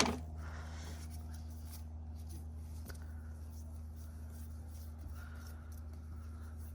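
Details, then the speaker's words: New belt tensioner pulley on a 2003 Honda CR-V K24 spun by hand, nearly silent with no grinding or squeal; the old, semi-new one was still noisy and on its way out, causing the noises. "don't hear nothing so somehow this was on its way out that's probably why I was making noises"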